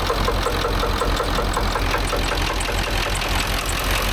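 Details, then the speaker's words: Ford F350 dually, 7.3 Power Stroke diesel, idling after a bent pushrod was replaced: loose clatter with an irregular knock coming through occasionally; the engine knock's cause is unknown to the owner. "Something in that motor don't sound very good though. No idea what that knocking is occasionally."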